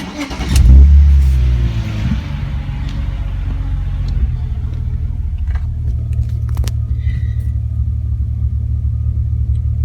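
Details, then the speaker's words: BMW E46 330Ci Clubsport with weak battery (53% health, 65% charge, 470 of rated 640 cranking amps) that needed boosting after sitting: brisk even cranking, tester reads 5.4 s, about 10.33 V, catches to steady idle; normal cranking and start. "cranking is normal time five five thousand milliseconds Wow five point four seconds"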